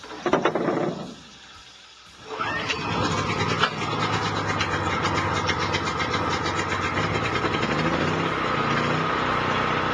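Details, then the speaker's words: DuroStar DS4000S portable gas generator (7 hp air-cooled OHV, recoil start, 10W30 oil, choked): a pull-start rattle, a short lull, then it catches and settles into a steady, even drone with no misses or knocks. Runs healthy. "I'm going to start it up and let you listen to it run for just a little bit, just to know that it does run."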